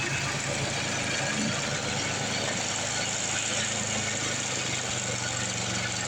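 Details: Craftsman 826 track-drive snowblower with a new 31-inch auger belt after the old one broke: steady engine drone with an even rush of thrown snow and no slipping or squeal. Auger drive running normally under load.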